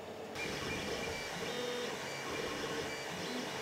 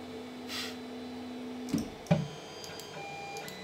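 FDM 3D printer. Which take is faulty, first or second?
second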